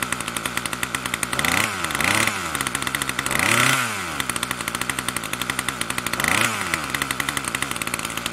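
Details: Troy-Bilt TB2MB after a new short block is fitted, primed and choke on: the engine surges up and back several times but never settles to low idle; the throttle cable sticks and does not return to rest.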